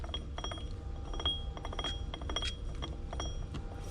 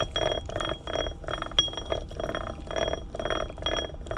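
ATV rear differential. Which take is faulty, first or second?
second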